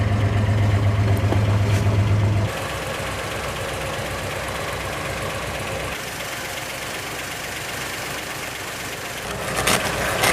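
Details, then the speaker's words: 1960 Plymouth Fury old V8, just cold-started after years unused on stale gas, with the accelerator pump not working and the choke misset: a brief louder start, then a steady, even idle with no misses or stumbles. Running well. "it's running well actually that sounds really good it's not even missing"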